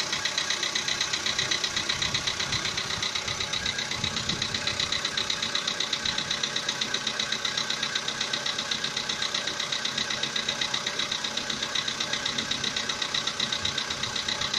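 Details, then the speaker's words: VW Polo Sedan with CFNA engine at about 80,000 km, knocking started roughly 3,000 km ago and is audible inside the cabin: steady, very even metallic knock at idle, about 2.5 per second over the engine clatter. "Полоседан, двигатель CFNA. Застучал где-то, наверное, 3 тысячи назад. Застучал мотор. Ну, даже в салоне слышно."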